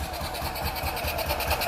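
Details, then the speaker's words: Single-cylinder engine with valve covers off, just started, choke off: quick, even patter with crisp regular firing and light valve tick from the open top end; good compression, running healthy. "sounds like they have good compression a little bit of noise coming out the stroke"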